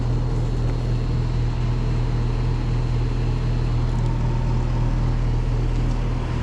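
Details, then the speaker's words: Callback on an outdoor HVAC unit in snow, after heat-strip power and stuck contactor fixes, just before checking the 40/3 capacitor: heavy steady low droning hum with a coarse rough edge; sounds wrong, cause not confirmed. "oh that just don't sound right"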